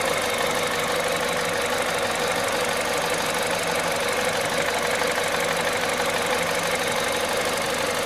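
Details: Cold-start noise on a VTI 120 engine at 98,500 km: uneven light ticking rattle about three times a second over a hissy idle, source not identifiable by ear; abnormal cold-start engine noise.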